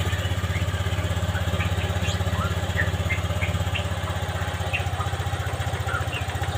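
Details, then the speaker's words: Honda Vario 125 FI scooter just after a manual ECU reset (mode 1 setting, DLC jumper removed): steady even low putter at idle, evenly spaced firing, no stumbling; idles smoothly, reset successful. "Mesin stasioner enak, coba kita gas."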